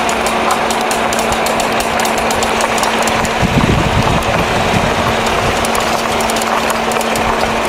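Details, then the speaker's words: C7 Corvette creeping while steering: light irregular snapping clicks over a low hum, heard on the right when turning left and on the left when turning right; front wheel clicking covered by service bulletin PI1498B. "so this is the first time I really noticed it on both sides so whenever you cut to the left you'll hear it on the right whenever we cut to the right you'll hear it on the left so yeah it's kind of weird"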